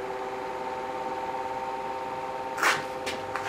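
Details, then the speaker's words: Office electric fan about 25–30 years old, first test after a cheap repair, on medium: steady, even hum with a soft airy hiss, no rattle or wobble, relatively quiet; the motor runs smoothly. "let see off here we go just relatively quiet"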